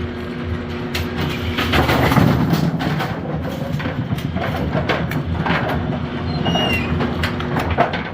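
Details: Brunswick A2 bowling pinsetter, after service for turret indexing problems; single-phase motor restarted and tested, not running hot. Irregular mechanical clatter and thumps of a full cycle, no grinding or jamming; normal pinsetter cycle.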